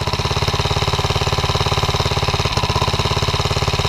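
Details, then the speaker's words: 79cc 4-stroke engine swapped into an extended 50cc ATV frame, gearing far too tall, engine mounted so the ATV only goes backwards: slow heavy chugging at about three beats a second, labouring and unable to move the machine. Engine lugging under load. "It's not even strong enough to move itself."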